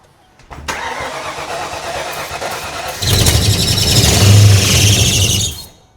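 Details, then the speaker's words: Abandoned 5.0 Ford Mustang being revived: slow, labouring crank, then a harsh strained whirr as it fights seized accessory pulleys that are not turning. "Well, something in the pulley system locked up. Oh boy. It's already breaking down."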